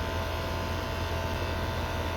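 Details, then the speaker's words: AC condenser unit compressor giving a flat, steady low hum while pulling amps but not pumping; technician suspects a failed compressor needing replacement. "This might be a compressor change because they ain't doing squat. I don't know what. It's pulling amps, but it ain't"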